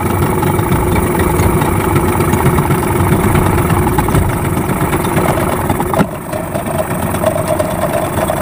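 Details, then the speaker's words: Yamaha 15 hp outboard just after repair for hard starting and no power (stuck piston rings, clogged exhaust): busy, steady two-stroke idle burble with even firing; normal idle. "Sangat mantap, cepat hidup, kemudian tenaganya sudah los."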